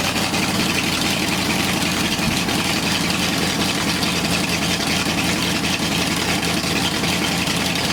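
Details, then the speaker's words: Ford 8BA flathead race engine idling steadily on a run stand with constant hiss and rumble, no knocks or misses; 50 psi oil pressure after the gauge was swapped, compression about 150–165 psi, no big leaks; normal idle. "okay we just observed us running this thing and on the oil pressure we had a good 50 psi oil pressure so that means the oil pump is working it's drawing and it's lubricating through the whole system and there's no problems no big leaks nothing"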